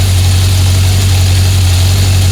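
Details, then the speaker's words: 1976 Honda CB750F1 four-cylinder during carburetor balancing (target idle 950–1000 rpm): steady, fast, even idle hum with no dips; idle rose after balancing the carbs and must be brought down. "So the idle's gone up now, you've got to bring the idle down."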